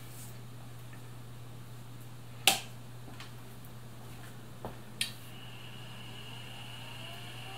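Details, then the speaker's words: SupraDrive SyQuest removable hard drive on a temporary ATX power supply after its own supply's capacitor failed: a few sharp clicks, then a faint tone climbing smoothly over mains hum as the platter spins up; normal draw, sounds fine. "that's normal draw it sounds fine it's going to leave that to run for a little bit"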